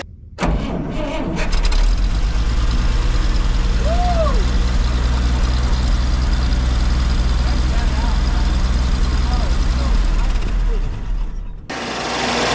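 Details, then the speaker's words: 1962 Dodge D300 V8, first run after 34 years, fed fuel into the carburetor bowl with choke: deep, steady, smooth idle with no lifter ticking. "oh It's So Silent too that sounds awesome let's try to get that out of the way man that sounds so good guys it's silent there's no lifter ticking"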